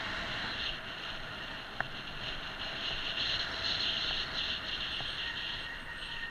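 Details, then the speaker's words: HillMiles MileCity 1 e-bike coasting downhill: a high, thin brake squeal swells and fades over wind rush; the brakes are known to squeak. "One annoying thing about the bike is that the brakes do squeak and you'll probably hear them in a minute."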